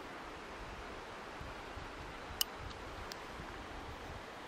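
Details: Solar water heater backup element thermostat: quiet hiss, then one crisp click as the dial passes the setpoint around 15–18°, matching current water temperature; thermostat switching where it should.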